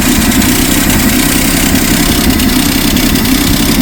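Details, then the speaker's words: 1962 Studebaker Lark, carbureted, first start, with the mechanical fuel pump suspected of not drawing fuel. Loud, lumpy, stumbling idle with firing pulses dropping out irregularly: a bad misfire at idle. "got a bad misfire in it"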